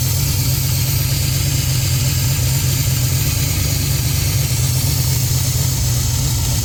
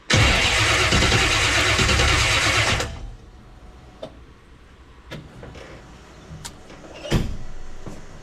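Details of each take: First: 1967 Chevy Nova small-block Chevy with FiTech EFI, first start after cleaning the injectors following fuel flooding into the oil: deep, steady rumble at an even idle with no stumbles, ticks or knocks; engine sounds healthy. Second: 1967 Chevy Nova small-block with FiTech EFI, started after injector cleaning with fuel in the oil: engine roars for about three seconds, then dies with a few clicks; the ECU logs an intermittent injector 2 fault code.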